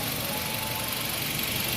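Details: 2005 Nissan X-Trail after a crank-no-start and throttle body relearn: steady, even idle with no hunting, misses or knocks; the engine runs smoothly.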